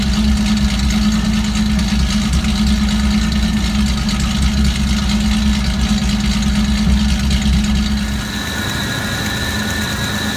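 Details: Rough idle with a stumbling low throb skipping about three beats a second, then settling quieter, a misfire of unknown cause. Disconnecting and reconnecting the MAF sensor makes no difference.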